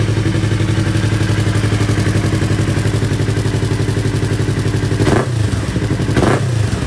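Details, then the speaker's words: Yamaha R3, after a fix for its backfire problem with the hose reinstalled: even, steady twin idle, then two quick throttle blips that rise and settle cleanly with no popping; normal running, no backfire. "So ayan, problem solve tayo guys. So nakaligtas na naman tayo sa gastos. Jolen lang pala ang katapat."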